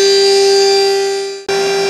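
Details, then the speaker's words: Smooth milling cut on an aluminium heatsink motor mount after the chattering bit, possibly unbalanced, was swapped out; this bit cuts perfectly, giving a clean, steady single-pitch spindle tone with no chatter or rattle. "uh this one's perfect but the other one was just brutal"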